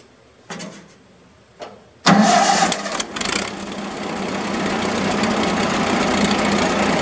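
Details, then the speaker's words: Early-1950s Massey Harris 30 tractor cold start after sitting a few months: cranks briefly, catches and idles with a loose, busy rattle from the worn clutch throw-out bearing, not replaced when the engine was out. "now can you hear that rattling and carrying on in here that's my throw out bearing"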